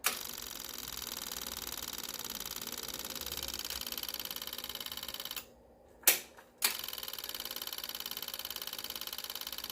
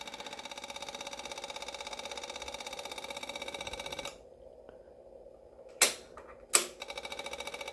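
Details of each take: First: Yamaha V-Star 650 Classic with a new fuel pump and fuel lines, line reconnected: fast, steady, high-pitched ticking buzz that pauses briefly then resumes; the pump primes evenly and sounds healthy. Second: Yamaha V-Star 650 Classic, new fuel lines, fuel pump priming for carbs: steady fast ticking runs on without shutting off, then short bursts; fuel pump never builds pressure, leaking down gas, running continuously due to leaking pump seal.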